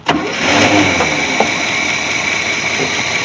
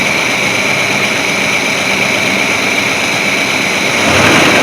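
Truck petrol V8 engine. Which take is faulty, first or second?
second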